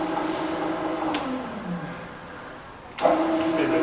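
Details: Fully rebuilt Bridgeport milling machine with new gears and bearings, variable-speed head; smooth motor hum sliding lower, then rising again, no knocks or grinding, head sounds healthy.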